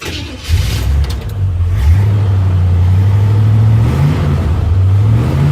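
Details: Worn 1957 Chevy convertible with over 250,000 miles, after retightening exhaust manifold bolts: deep, smooth rumble rises and holds with throttle; the earlier clack-clack at idle is gone and the manifold sounds sealed; normal start and rev.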